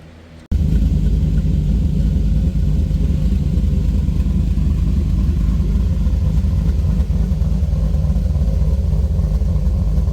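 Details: C3 Corvette restomod V8 idling after two 16" stainless resonators were added between the X-pipe and mufflers: deep, steady, even rumble with no rasp or misfire; sounds good. The right-side pipe and tip have dropped about 1/4–1/2 inch and need straightening.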